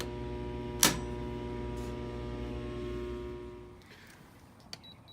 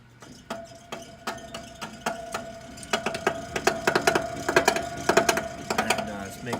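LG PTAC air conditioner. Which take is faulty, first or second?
second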